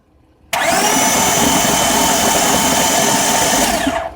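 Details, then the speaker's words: Cranking with spark plugs and coils removed on a 2000 Honda Odyssey driven through 3 ft of floodwater: steady, even whirring hiss for about three seconds, no firing, as the engine is spun over to expel water and excess gas from the cylinders. "pull that down, and now no more gas getting into the spark plug chamber as I continue to crank this engine over and try to flush out the water and excess gas that's in there."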